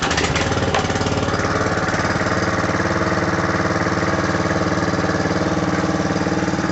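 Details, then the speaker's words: John Deere 14SE mower, Kawasaki FC150V overhead-valve engine with pressurized lubrication, warm, restarted after carburetor cleaning cured rough running: fast even single-cylinder beat about three per second, no surging or misses; normal running. "this has a Kawasaki fc150v which has pressurized lubrication this is a really nice overhead valve engine and runs great now"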